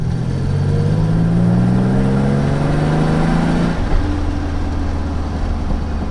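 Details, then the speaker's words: 1986 Nissan 300ZX widebody, underpowered (below ~200 hp factory): engine note climbs smoothly then settles after the shift, deep and even, not loud, no rattles or popping; healthy exhaust note. "Like, there's nothing about that exhaust note that I think sounds bad. So, it's basically all show, no go right now. Because it's not even loud."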